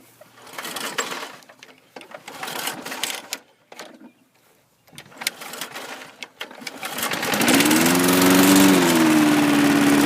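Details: John Deere Power Drive 21-inch self-propelled bagger mower, Briggs 3.5 or 4 hp engine, blade brake removed, recoil start: after some shuffling it catches quickly and settles into a steady, even drone; normal start-up and run.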